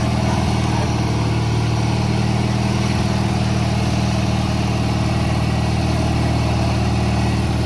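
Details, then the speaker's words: 1985 riding mower small engine, brand new carburetor, running Seafoam to clean carbon: low steady idle with faint uneven pulse about three times a second; rough idle, owner thinks idle speed needs adjusting. "so from what I can tell the seafilm is obviously working as clean the carbon out but it's a brand new carburetor so I think uh just needs idle speed adjusted"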